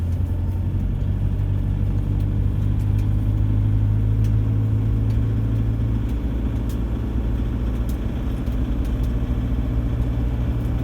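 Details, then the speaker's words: Toyota 1KD diesel, cold, about one minute after start, at 1500 rpm under light load at 50–60 km/h; a coarse loose rattle over the drone, worse than normal 1KD noise, that quietens once warm; cause not pinned down. "when i back off the road or goes away when it warms up it'll quieten down but it's absolutely bloody terrible it's not the normal noisy 1kd rattle"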